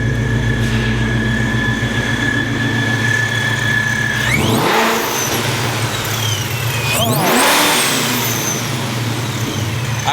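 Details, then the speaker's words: 2004 Mustang GT with ESS supercharged Coyote engine, Spintech 3-inch exhaust, freshly tuned: deep steady idle then two quick blips, clean supercharger whine rising and falling with revs; deep exhaust tone, healthy. "dude it sounds good I like it it's it's what I wanted I didn't want what the normal coyote sound is where it's just a really loud obnoxious yeah no that's a really nice deep tone that's really what I wanted the supercharger sounds awesome"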